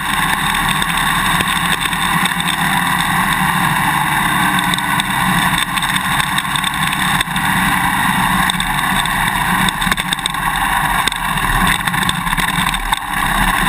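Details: GoPro Hero 2 on a motorcycle swing arm while riding: sharp, irregular clicks through engine and wind roar from the quick-release buckle vibrating in the mounting bracket; fix with vibration plug, electrical tape or drinking straws between buckle and bracket.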